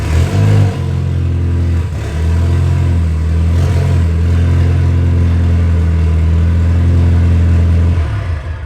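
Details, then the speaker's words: Mitsubishi Lancer Evolution X, stock turbo, early-morning cold start: loud steady idle with a deep rumbling drone and a raspy chuff underneath; a major exhaust leak under the center of the car. "Has a major exhaust leak in the center of the car, but that doesn't really affect us in what we're doing. There's what she sounds like."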